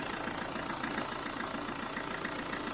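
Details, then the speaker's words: Chevrolet Tracker diesel pickup at idle after thermostat valve replacement, warming toward 65–70°C: quiet, even diesel clatter with steady rhythm, no misses or knocks; engine running perfectly. "ele tá aí a perfeito tá pessoal não tem problema nenhum"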